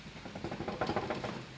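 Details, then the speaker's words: Honda Activa on general service: light rapid knocking from a badly loose steering head (handle) bearing cone, with damaged, shaking suspension link bushes; cone to be adjusted and bushes replaced, since worn bushes keep loosening the cone. "Concept നല്ല രീതിയിൽ ലൂസായി കിടക്കുന്നുണ്ട്. അപ്പോൾ നമുക്ക് concept നോക്കാൻ നമുക്കൊന്ന് adjust ചെയ്തിട്ട് നോക്കാം."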